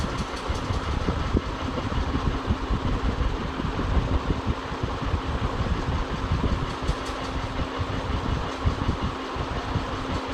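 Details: Ceiling fan running with a steady low hum over an uneven rumbling, rattly undertone and scattered clicks; worn fan bearing.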